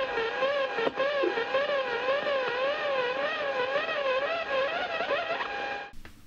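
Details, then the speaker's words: Interference around 176 kHz on a radio receiver: warbling whistle sweeping up and down that dies away slowly when switched off; source traced to a computer monitor's plug-in switching power supply, not anything mechanical. "I thought it was mechanical. It's got to be a motor. Something mechanical. No, it's nothing mechanical."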